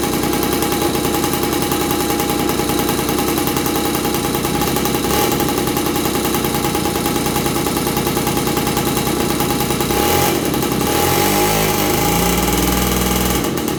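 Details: 1983 Honda QR50, unrestored 49cc oil-injected two-stroke single, long-stored (owner suspects old petrol): smoky, busy crackling burble, uneven firing, some revving at end; runs rough and oily after storage.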